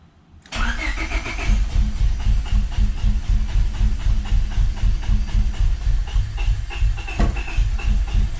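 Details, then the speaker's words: Honda Civic B20 after a broken VTEC oil fitting hole in the block was welded and a sandwich plate fitted, with everything unplugged. The starter churns with steady thumps, about four a second, but never catches. No fuel is suspected, with injectors needing to prime. Crank, no start. "i'd have to check but it sounds like there's no fuel so let's see"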